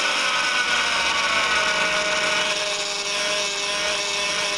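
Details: 2004 Honda Pilot at cold idle before repair. Steady whine and buzz with a clear held tone. The power steering pump draws air through cold-contracted old O-rings on the outlet pressure line and return hose; the fix is new O-rings and reservoir.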